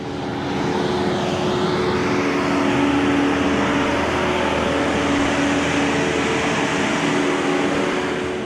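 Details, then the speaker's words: Ford F-250 Super Duty 6.7 Power Stroke diesel, emissions derate warning, during DPF regeneration, heard from outside: steady raised idle, even drone, faint whine swelling slightly; normal high idle. "this thing's picking up speed, so let's hop out and listen to this thing start running away on us."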